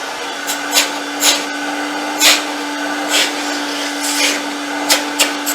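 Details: Myteelite II 8070 carpet extractor after repair: steady, even hum at constant pitch under some handling clicks; vacuum motor runs smoothly, repair fixed.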